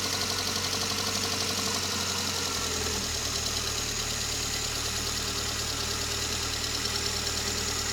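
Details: VAZ 21083 (2109), recently bought: steady idle with a light, fast, fairly even tapping from the cylinder head area. Cause unknown to the owner. Top-end knock.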